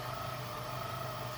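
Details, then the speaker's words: Yamaha F150 outboard, both engines: steady whirring whine over engine hum, peaking around 1500–2000 rpm; under-oiled balancer gear, balancers assumed original, need upgrade to newer version with oil jet. "that whirring noise you hear is the balancer gear that's not getting enough oil and that's why it's squealing like that"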